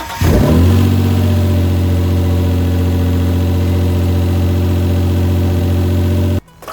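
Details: Mitsubishi GTO twin-turbo with self-rebuilt engine, run briefly without coolant and with no exhaust fitted: starts quickly, settles into a loud, steady, even idle with no knocks or misses; healthy engine.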